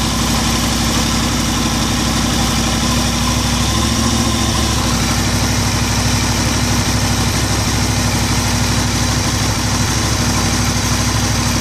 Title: Weird engine noise?